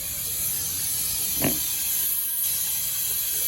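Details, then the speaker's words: Sprinkler system inspector's test valve on the end of a repiped line, slightly open after refilling. Constant high-pitched hiss with a faint thump as trapped air bleeds out of the piping. "I like to bleed the air out, so that's what these inspectors test on the end of the sprinkler system are so nice, because you can bleed the air out."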